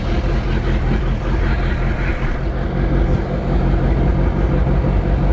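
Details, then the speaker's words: 1999 Chaparral 180 LE bowrider, Mercury 3.0L four-cylinder sterndrive, first run after six months stored in a shed, running on flush muffs: deep, slightly rugged steady rumble with no misses or knocks, normal running. "so far so good sounding a little rugged but you would too if you've been sitting inside a shed for the last six months"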